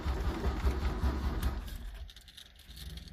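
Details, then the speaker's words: Engine with bad gas, battery at 14 volts, oil pressure up: fires with low chugging for about two seconds then dies; carburetor and accelerator pump leaking fuel, cause not confirmed. "it did run for a second and now it's not going to"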